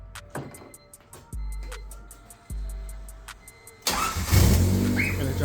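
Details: Honda engine with a crank-no-start from a suspected short in the engine harness; distributor jumped with constant power, then a couple of short cranking bursts before it catches and settles into a rough but steady idle; it runs.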